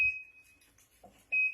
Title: La lavadora hace ruidos muy raros😳